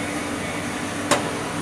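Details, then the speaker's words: Hypertherm MaxPro200 plasma power supply set to 200 A on oxygen for 12 mm material: steady fan hum, then one sharp clunk after it counts up to 6, signalling ready to cut. "When you hear that clunk, you're safe to go."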